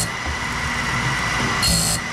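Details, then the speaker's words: Saw blade sharpening on a BMS 250 sharpener, teeth coated with dye: steady grinding hiss with high ringing note, louder as the wheel bites. Normal grinding at maximum desired cutting depth. "you hear the sound that's that's pretty much as aggressive as I want to be on it"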